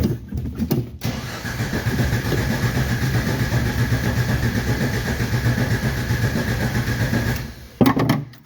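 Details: 1990 Jeep project, cranked by jumping the switch wires: starter churns unevenly about six seconds but the engine never catches; turns over but not getting fuel, next step pouring fuel into the carburetor.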